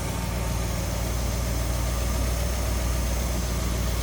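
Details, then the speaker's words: 1956 DeSoto Firedome, restored 330 cubic inch Hemi V8, heard at the open engine bay: a steady, low, even idle rumble with no knocks, misses or ticks; smooth, healthy idle. "listen to how smooth that runs"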